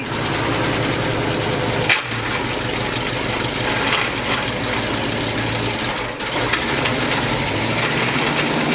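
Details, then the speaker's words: 1977 GMC Jimmy revived after sitting, transfer case reinstalled: steady rough grinding rumble under the running engine while in gear, seeming to come from ahead of the transfer case; no noise in reverse; suspected transmission grinding. "i still hear noise and it kind of sounds like it's in front of the transfer case"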